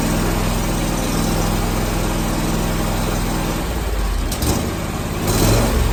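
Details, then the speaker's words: Zero-turn mower with Kawasaki engine, hot after half an hour of mowing and 15 minutes sitting: fires and settles into a steady, even run with no solenoid chattering; normal hot restart. "so we'll try to fire it up and we'll see what happens don't hear the sullen like chattering that's good"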